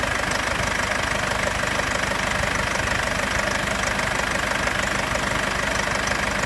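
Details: 2015 Mercedes-Benz C220 CDI W205 diesel idling after cold start phase: light metallic rattle/clatter about three per second, locked to engine speed; source not yet identified.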